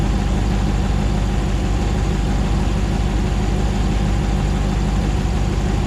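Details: 2009 Hemi 1500 TRX4 auction truck, first start after months of rebuilding, about 87 psi oil pressure: smooth, even low rumble with steady beat, no knocks or stumbles while warming up, no longer jerking around like before; normal idle.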